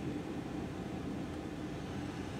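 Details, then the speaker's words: Jeep Cherokee XJ after heater core replacement, AC uncharged, on recirculation: steady even air rush with soft low hum, no ticks, rattles or squeals; earlier blower motor noise gone, healthy. "smooth operator noise is gone now"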